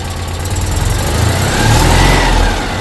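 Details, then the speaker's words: Citroën 2CV flat-twin after oil change and valve clearance adjustment, oil level checked; loud, fairly even chug with a light blip, no valve gear clatter; running up to temperature to check rocker covers for leaks. Normal idle. "lovely I think we'll just um run up temperature make sure there's no leaks from either of the rocker covers"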